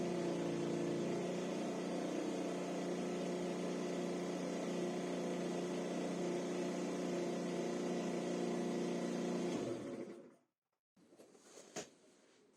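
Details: SYM 50cc four-stroke scooter after valve adjustment, cleaned carburettor and air filter check; even, steady idle with no misses or knocks, then clean shut-off; normal idle.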